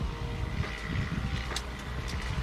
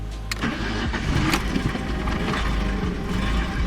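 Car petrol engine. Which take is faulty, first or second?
first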